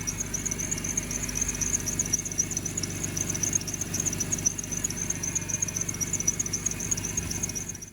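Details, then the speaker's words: 2003 BMW E46 M3 at idle: steady shrill squeal from the belt drive after two idler bearings were replaced; owner now believes the belt itself is squeaky, not yet confirmed; exhaust flange leak retightened. "think i've figured out what it is it is actually the belt it's really squeaky"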